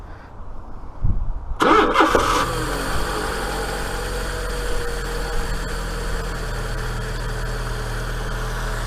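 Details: Fiat Punto 1.2 started after a rocker cover gasket replacement, checking for leaks: cranks briefly, catches and settles into a smooth, even idle with no knocks or ticks. Normal idle; cam belt still to be done.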